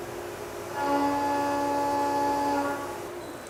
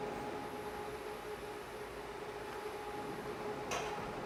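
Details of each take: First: Stable end-milling test cut after an unstable chatter cut, with only the spindle speed changed between the two; a clean, steady tone holds through the cut with no rising screech or rattle, so the end mill is cutting stably without chatter. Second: CNC milling cut during a tap-test demonstration: a steady ringing tone over a quiet machine hum. The cut is unstable, which is chatter, in contrast to a later stable cut.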